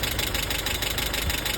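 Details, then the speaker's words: Land Rover Series 3 just started after head gasket replacement, timing set by ear: fast, even clatter over rough idle; owner suspects valve clatter or oil starvation, cause unconfirmed. "It's very clattery though. I don't know why it's so clattery, so I'm going to turn that off and tighten that."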